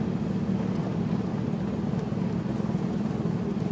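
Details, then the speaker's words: 1981 Triumph TR8 driving in second gear at full throttle: a low, steady rumble that does not rise in pitch. The engine bogs and barely pulls while fuel pressure is low and dropping; a fuel delivery problem is suspected, though the gauge was sticking. "pressure's dropping second gear i'll go to full throttle there's full throttle nothing's happening [Music] that's like quarter throttle it won't even run"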